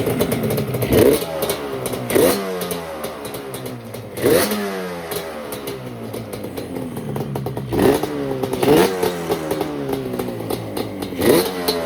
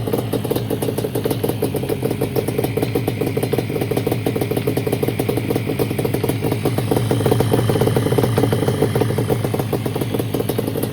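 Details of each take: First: 1989 Yamaha Banshee two-stroke twin after unplugging the TORS throttle override and its box; running on fuel left in the carburetors, tank disconnected: crisp snaps through repeated quick blips, pitch rising and falling cleanly, no knock. Normal revving. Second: 1989 Yamaha Banshee two-stroke twin after new fuel line, refitted carburetors and fuel switch, temporary exhaust: rapid crackle tries to pick up, then sags and dies whenever throttle is given; new spark plugs didn't help; a faulty throttle override switch was the cause.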